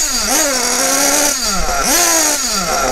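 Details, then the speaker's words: Kyosho Bug TT8 RB One nitro RC buggy with RB engine, warmed up before tuning: pitch swoops up lazily on each blip then sags, slow and blubbery to rev and smoking. Mixture set too rich; richness is adjusted first. "Donc là, on voit que le moteur est très gras. Il a du mal à prendre ses tours quand j'accélère."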